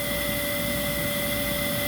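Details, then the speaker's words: Dyson DC11 vacuum in hard-floor mode, pre-motor sponge missing: steady high motor whine over loud rushing air, the canister ramping up; the motor is straining against restricted airflow, and the turbine brushroll spins slower. "you can hear the canister itself kind of ramp up a little bit so that that's signifying that it's struggling to get any more air through it"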